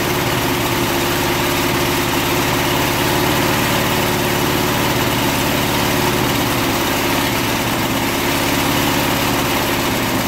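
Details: Lawn mower engine with car wax replacing drained oil, during a 10-minute run with very hot exhaust: a steady, slightly rough idle with low rumble and vibration, still running; compression loss later blamed on suspected wax in the piston rings.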